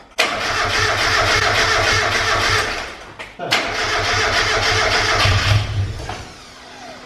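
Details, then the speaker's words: Mk1 Mazda MX5 with a turbo kit just fitted and coolant just filled: steady starter churning of about four beats a second in two bursts, never catching, because it is cranked with the ignition unplugged as intended. "yes it won't start but it doesn't see it crank oh i'm scared i'm doing it yeah i've cranked it but she's not plugged in"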